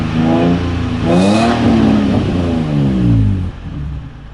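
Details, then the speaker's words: Nissan 350z VQ35DE after fixing codes P0011/P0021, caused by an incorrectly installed flywheel after an engine replacement; revs climb and fall smoothly through a couple of throttle blips, even and free with no rattle, running as it should. "as you can see it started without any problem and remains very stable no longer It has no problem the accelerated one already develops the"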